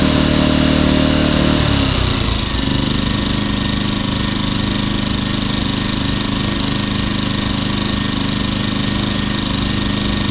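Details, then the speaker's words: Champion 2000W 73536i generator, about 16–24 hours use, after cleaning the carburetor idle jet and reassembly; engine drops from higher speed to a steady low idle when economy switch engaged, no surging, running normally. "that's what it's supposed to sound like I was just switching the economy switch"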